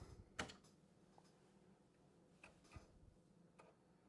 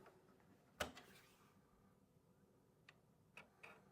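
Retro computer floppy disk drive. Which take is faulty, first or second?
first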